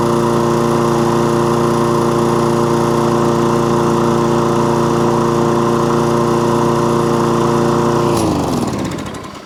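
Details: Toro Recycler lawnmower with an intermittent fault, test run: steady, even drone for about eight seconds with no surging or cutting out, then winds down at shutdown; normal running.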